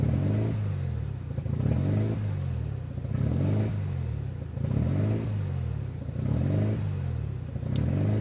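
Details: 1993 RHD Mazda RX7 rotary with newly installed Power FC ECU (wires not cut): idle swells and sags about every second and a half, lumpy and uneven instead of a smooth hum; rough idle.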